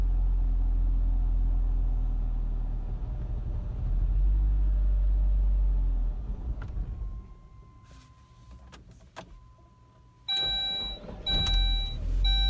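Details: 2002 Saab 9-3 SE on a cold start idles low and uneven, sags and nearly stalls, followed by warning chimes; rough cold idle, cause unclear.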